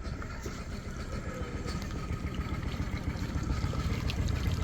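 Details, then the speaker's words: Fishing boat engine, first crank-up after marine engineer's repair: low even rumble with steady beat and cooling water dribbling out, no knocks or misses; smooth normal idle after repair. "so yeah okay you're gonna hear it oh she purrs"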